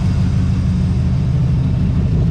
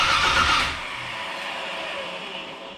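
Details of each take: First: 1982 Chevrolet Camaro V8 on years-old gas, warmed up after smoking a lot, homemade side pipes: deep steady low rumble, even beat, no misses or knocks. Owner suspects a flywheel section issue with starting. Normal idle. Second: 1982 Chevrolet Camaro being reassembled, exhaust hooked up, timing being adjusted: starter spins engine in two long even runs but it never catches; distributor power wire was never connected, no ignition power. Crank, no start.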